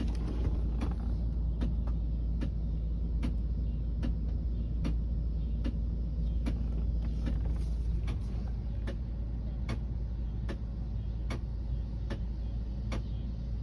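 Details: Sharp ticks about twice a second, not perfectly even, over a low running rumble, coming from a car's air conditioning; cause unknown.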